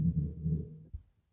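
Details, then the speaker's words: 2005 Infiniti FX35 with front wipers not working though washer sprays, so not a fuse: wiper motor hums steadily about a second then dies away, running freely; linkage suspected broken, later found and glued. "don't work, but we can see that windshield washer coming out, so that's not a fuse, and we can hear, and I hope you can hear, that motor is running. So sounds like some linkage issue."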